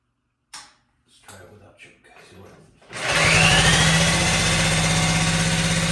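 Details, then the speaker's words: 1957 Wheel Horse RJ35 garden tractor, started after sitting 5+ years in a barn: engine fires and holds smooth even beat without stumbling or knocking; runs well. "that's how it's supposed to work that thing sounds very nice that sounds better than the 58"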